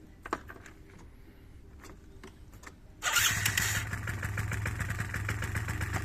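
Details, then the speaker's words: 2009 Yamaha Zuma scooter, ice-cold first start after partial carburetor cleaning and new charged battery: quiet, then catches almost instantly and settles into a smooth even idle with no missing; healthy cold start. "get much easier it's running good it's gonna take for a little test ride I'm going to warm up one's perfect smooth love it"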